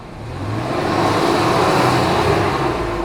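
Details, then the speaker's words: Truck engine revved after swapping a new Gates serpentine belt for a Continental one following a radiator job: smooth steady hum, no squeal or chirp; the earlier engine-bay noise is gone, the belt apparently the cause. "okay and let's give it some gas look at that it's not making the noise"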